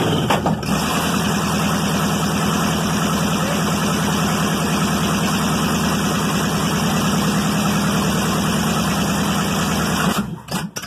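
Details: Chevy 305 V8, first start in years: even, steady idle with a smooth lope for about ten seconds, oil pressure around 60 psi, then a clean shutdown with no tapping or misfire.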